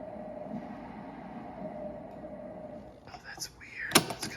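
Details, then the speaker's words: 1980s Sharp AV-2000 classroom cassette player; the head was cleaned at purchase. The tape is advancing but only a soft, wind-like rushing hiss and faint steady hum come out instead of music, then handling clatter. Playback fault, cause not yet found. "It's kind of creepy. It's like wind. Yet it's actually advancing the tape. It's pulling tape through."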